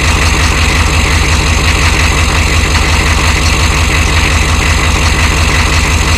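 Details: 1993 Chevy dually 6.5L turbo diesel 4x4, smoky cold startup without block heater: rough idle with a steady heavy knock roughly 85 a minute over the clatter; engine knock at cold idle of unclear cause.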